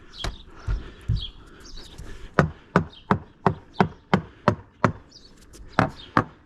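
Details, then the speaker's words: Older fiberglass sailboat deck, hammer test near the mast step: crisp, sharp taps ring hard and clean with no dull thud. Side decks feel solid underfoot, so the deck core is solid with no rot or delamination. "Even when I bounce on the side decks, there's no squishy feeling. It all feels very, very solid underfoot. Let's check around this mast step. So absolutely rock solid."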